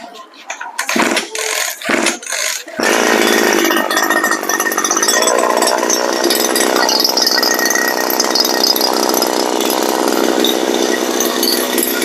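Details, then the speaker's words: Brush cutter revving: harsh grinding rattle at the gear head as the tube backs out, so the drive shaft does not mesh with the gear and slips; the blade turns slowly; fixed by clamping the gear head tight. "เกิดเสียงดังจากนี่นะครับดังจากเฟืองรูดดังจากแกนเผารูดนะครับผม"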